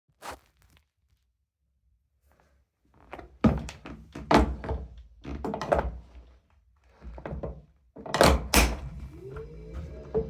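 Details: Kickr indoor bike pedalled: sharp, irregular clicks and thunks with a rising whir as the flywheel spins up.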